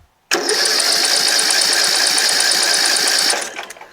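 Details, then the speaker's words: Rebuilt tractor with newly installed engine and carburetor, flooding with fuel coming out the exhaust: three seconds of fast, steady cranking that never catches; owner suspects a missing carburetor jet, to be checked. "doesn't seem like it wants to start ever"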